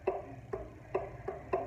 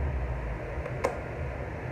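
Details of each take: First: Arno fan that makes noise when lowered: crisp clicks about twice a second as the shaft is rocked forward and back. Excessive end play, suspected to come from a worn or wearing front bushing. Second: Arno pedestal fan after cleaning and service runs smoothly with a soft, steady hum and strong airflow; the earlier noise has stopped, no rattles or grinding.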